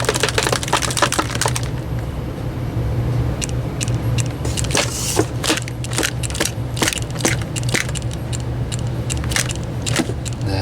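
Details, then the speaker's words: Old IDE hard drive powered on for testing, over a running furnace: sharp dry clicks repeating about every half second with no spin-up hum; click of death, drive doesn't work. "Now the furnace is running, so it's going to be hard to hear it, but I'll plug it in anyways. Now we got the click of death"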